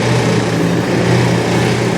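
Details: Honda Click 150 scooter engine running steady with a smooth, even buzz and no misses or rattles; starts and holds a normal run after a starter relay problem.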